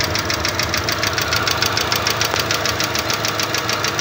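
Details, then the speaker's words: Running petrol engine: fast, even light ticking of valve tappets from excess clearance, adjustable with screwdriver and feeler gauges; clearance between tappet and valve usually about 0.05 mm, varying by maker; sounds similar to hydraulic lifters. "estas se pueden ajustar fácilmente con un desarmador y unas galgas usualmente la tolerancia que debe de haber entre la puntería y la válvula suele ser de 0.05 mm"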